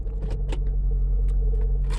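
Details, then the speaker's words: 2006 Mitsubishi Galant 2.4 idling: the whole car and steering wheel vibrate in drive or reverse and the vibration goes away in neutral; steady deep idle hum with a few clicks, vibration felt more than heard. "utral the vibration or that sound is gonna go away you hear that if I put it in drive that the vibration is Gonna Come Back in the whole car the whole car is vibrating"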